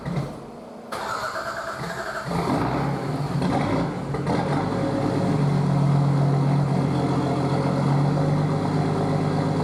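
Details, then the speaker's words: Nissan RD28 diesel after injection pump swap and 11mm upgrade, timing advanced slightly due to hard starting; brief cranking, fires and settles into steady even idle clatter, no harsh knock; healthy start. "I thought it was a bit too knocky, but looking back on videos it just sounds fine."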